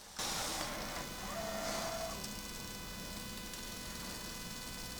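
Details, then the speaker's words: Sony EV-C100 Hi-8 video player with a tape inside, on power-up: thin motor whine and faint fluttery chatter from the transport, suggesting the tape is split; play, stop and fast forward then do nothing. "okay so that sound indicates to me that this tape is absolutely uh split"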